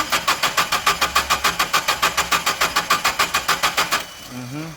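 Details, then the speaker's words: Nissan (MCP) engine with rough running single-cylinder misfire complaint, cranking: even beat about three and a half per second for four seconds with no lazy strokes; compression sounds even, no definite mechanical unevenness. "so i didn't hear any definitive unevenness in that cranking so i'm gonna go away from checking the mechanical on this one"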